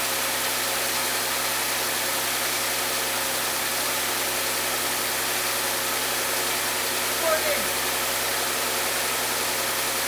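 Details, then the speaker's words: Rebuilt Audi S5 engine with APR supercharger pulley kit, first start with coolant plumbing not yet connected: a steady, even engine note with a light whir and no squeal or misfire. It was slow to start while fuel pressure built; no fuel smell; normal running. "It didn't sound bad. I don't smell any fuel. It started slow. Of course, it has to build fuel pressure, so that makes sense."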